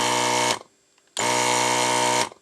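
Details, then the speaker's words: ZD-915 desoldering station after fan replacement, vacuum pump tested with the gun connected while the heater warms. Two short, even buzzing pump bursts about a second apart stop cleanly over a soft fan; vacuum pump operating normally. "and the pump is operating okay nice but it's not heating up"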